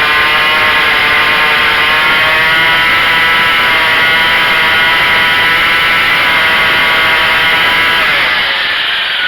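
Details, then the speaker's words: Craftsman 25cc two-stroke weed trimmer that was bogging with no power, after the carburetor was turned a half turn and started on choke: a high, steady buzz holds full revs cleanly without surging, but the idle is still set too high. "You can hear the RPM get to the maximum, and then this idle's too high right now."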